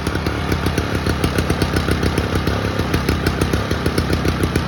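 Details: 1987 Toro GTS mower, Suzuki 2-stroke, cold start, new-old-stock Mikuni carb fitted, choke only: crisp even putter at steady fast idle, regular firing, no misses or surging; normal running.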